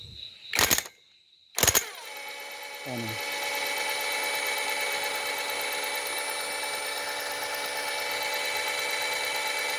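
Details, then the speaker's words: Suzuki Multicab alternator after replacing the cracked inner/rear bearing and greasing the outer bearing: after a couple of clicks it spins up to a steady, even hum with no grinding or rumble; the noise is gone. "so wala na siyang ingay no So okay yung ginawa natin nawala yung ingay"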